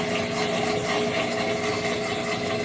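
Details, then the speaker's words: Whirlpool WTW4816FW3 top-load washer bought 2023, control board replaced three times: constant loud roar and hum right after trying to start a wash. No water, no movement, no response to the button, just loud grinding; cause unknown. "Okay, today is Saturday, and I tried to turn on the machine, and immediately it's been making that loud roaring noise."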